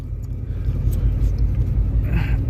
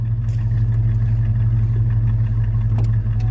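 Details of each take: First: 1986 Ford Mustang just started after sitting all winter nearly empty of fuel: low, lumpy, uneven pulsing idle that never settles, not the happiest; cause not confirmed. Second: 1986 Mustang with a tired V8 from an 88 T-Bird, dyno tuned to 130 wheel hp: deep steady burble with one brief rev blip, no knocks; normal idle and revving.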